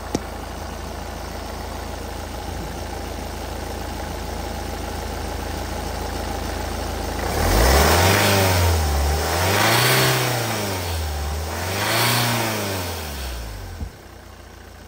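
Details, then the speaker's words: Ford Focus 2 L diesel manual in limp mode with lost power and DPF and mass air flow codes P24A4, P246C, P2463, P246B, P00BD; a whooshing hiss rises with each of three revs, indicating an air leak. "So, we can hear a hushing noise, which is a good sign. I'd like to hear this sort of noise cuz it eliminates the problem straight away."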